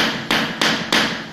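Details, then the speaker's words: Concave porcelain floor tile laid with mortar bed plus thin mortar layer on tile back, dragged to crush it: three sharp solid taps at the tile's center with no hollow ring; fully bedded. "Não fica oco, por quê? Quando a argamassa das costas do piso encosta na argamassa, você dá o arraste que ela esmaga por completo, ela preenche todo o espaço embaixo do piso, não deixando o piso oco."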